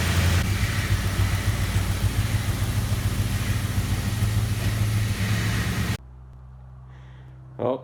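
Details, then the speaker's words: 2004 Ford Crown Victoria, 170,000 miles, idling: fast regular ticking about three times a second from a driver's-side exhaust manifold leak, two broken bolts or studs at the back of the manifold, the notorious Ford broken manifold bolt sound; before repair. "heard that right the notorious Ford broken exhaust manifold bolts sound this here is my define 2004 Ford Crown Victoria 170,000 miles on it"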